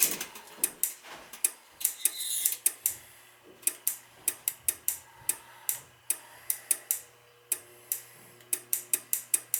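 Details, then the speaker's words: Dunkirk high-efficiency floor-standing gas boiler: sharp irregular relay clicks every second or two, cycling on and off nonstop even with the thermostat disconnected, water found; likely a bad control board. "another thermostat this connector is still clicking back and forth nothing's still operating on and off on and off and i got the thermostat disconnected we got issues here oh water so that's probably a bad board"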